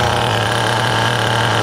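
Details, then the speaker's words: Brand-new HPI Nitro Star T3.0 nitro engine in a restored HPI RS4 Porsche RC touring car with lightweight flywheel and 2-speed: steady, high-pitched buzzing at a very low idle, as low as it will go, with no stumbles; normal idle. "It's going. Beautiful idle. The idle is super low. It's the lowest it will go, guys."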